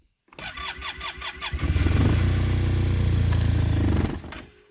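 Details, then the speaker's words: Arctic Cat Norseman sled after sitting overnight, with new gas. The pump was rerun, then steady cranking about four times a second with no firing. Owner suspects a slow vacuum leak (dealer vacuum code) draining fuel, or a bad fuel pump. "so if we shut it off and we run the pump again it should fire right away nope come on brand-new gas in there yesterday so it is not a gas issue"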